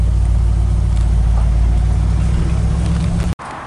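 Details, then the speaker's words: 1964 Ford F100 short bed pickup, hot-rod style, driving down the road: deep, smooth V8 rumble holding an even beat, no knocks or rattles; runs like butter, healthy engine. "that is a fun to drive old truck right there goes down the road like butter too"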